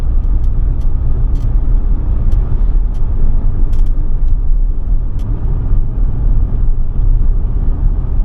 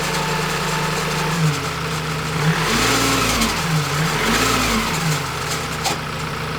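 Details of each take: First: Ford Transit Custom van after new turbo, DPF clean and ECU remap, accelerating on the road; smooth, even low rumble under load with no whistle, flutter or misfire, much quicker than before; normal running. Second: Ford Transit Custom diesel van (bought from Copart, stolen-recovered rebuild) revved in blips: rough whistling rasp rising and falling with each rev from the turbo bearings; oil pouring at the exhaust bottom, catastrophic turbocharger bearing failure before turbo replacement.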